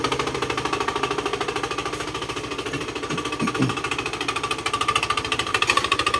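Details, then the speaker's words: Honda Scoopy i scooter idling after start: fast, even plastic clacking about three per second over the engine, from the air shroud cover loose on its three worn bushings, vibrating when started. "ฟังเสียงเราก็น่าจะดังมาจากตรงนี้นะครับ"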